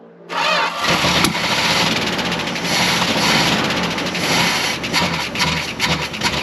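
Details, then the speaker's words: Long-sitting Dodge W300 4x4 dump truck, carbureted, after further battery charging; short crank, then engine catches and settles into a steady even run with no misses or knocks, running well enough to drive. "oh oh it runs now too can move it i think that's round enough to drive so let's try it"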